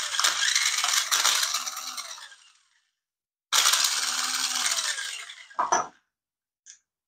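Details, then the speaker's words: Nikko 9045 RC Teenage Mutant Ninja Turtle Party Van (2.4GHz), previously taken apart and broken: two short bursts of high, rough whirring with rapid ratcheting chatter, about four clicks a second, then a clunk. Gears suspected to be grinding or slipping, not confirmed. "done do sound quite right does it sounds like something's try that again"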